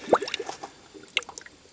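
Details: 1999 Honda Accord V6 EX, about 160,000 miles, engine stone-cold and off, cylinder two pressurized to about 75–80 psi: irregular gurgles and bubble pops in the coolant; blown head gasket leaking into the cooling system.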